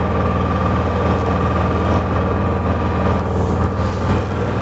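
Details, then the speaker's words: Honda EU6500 inverter generator after carburetor cleaning and draining fuel left in over a year, pull-started with dead battery, running: low, even, very quiet hum with no misses, knocks or surging; normal healthy running. "i mean you probably hear it louder because my mic but i'll stand over here where the camera is just listen how quiet that is like you can barely hear it it's quieter than my ultrasonic"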